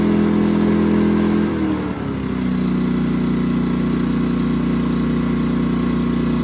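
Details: A-iPower portable inverter generator with Yamaha engine, which would not start because of low oil; after oil topped up, started in choke position: it catches, revs briefly, then settles into a steady, even hum with no misses or knocks. Normal running.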